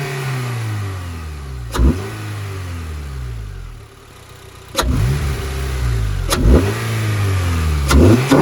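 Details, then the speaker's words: 2013 Honda Civic Si after cleaning the air intake to fix code P0172: quick free-rev throttle blips rise and fall cleanly with a loud sucking intake roar; healthy. "bro dude that thing be sucking I feel like it's louder than it used to be without the clean filter man"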